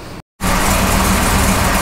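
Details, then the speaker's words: 383 small-block Chevy with Holley EFI, just started, IAC commanded 40 at idle: steady, slightly fast idle hum, idle higher than typical; customer complained of poor cold/hot start and idle. "okay we started the car as you can see the iac is commanding 40 at idle the idle speed is a little bit higher than typical"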